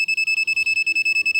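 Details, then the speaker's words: MECO 27-AUTO BL digital AC clamp meter in non-contact voltage test mode held at a live service supply line; rapid steady high-pitched beeping, about ten a second, because the phase wire is nearby, showing supply present. "ஏன்னா face wire பக்கத்தில் இருக்கிறதுனால உங்களுக்கு அந்த மாதிரி beep sound வருது."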